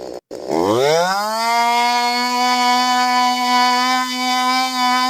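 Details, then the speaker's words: STIHL MS 192T chainsaw being repaired for not starting or running properly: catches and climbs to a steady high buzzing whine at rest instead of dropping to low idle, before high/low carburetor adjustment; idle speed set too high. "So, what you seen me doing there was adjusting the high and the low. So, what you seen me doing when it was idling too high, chain"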